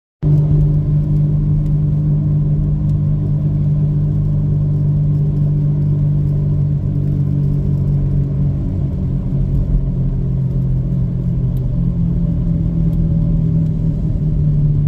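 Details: 2010 VW Golf (City) driving: steady low droning rumble with faintly shifting pitch; suspected bad wheel bearing.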